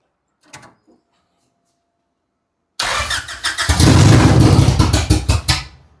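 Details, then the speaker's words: First start of a Honda H22 on a FuelTech FT450 standalone ECU in a Honda EG: after a short silence it cranks, catches quickly and settles into an even idle; idle may need raising slightly. Normal start. "Yeah, and it sounds good. Whew, sounds good. Oh man, I'm just happy that it's going."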